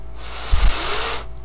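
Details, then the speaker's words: Gateway M-2626u laptop fan spun by hand after cleaning off gummed WD-40 and applying graphite oil: soft smooth airy whoosh, no scraping, now quiet. "seems pretty quiet it seems to be spinning really well"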